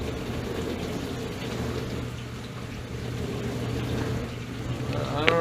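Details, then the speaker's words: Whirlpool WDF330PAHB1 dishwasher that was not spraying water, leaving standing water and detergent: after reassembly, with no blockage found in either pump or the lines, a steady low hum with water swishing. Normal wash cycle; the cause is unknown, possibly reseated electrical connections. "so I just kind of put everything back together and restarted at it seems to want to kind of work now checking for leaks"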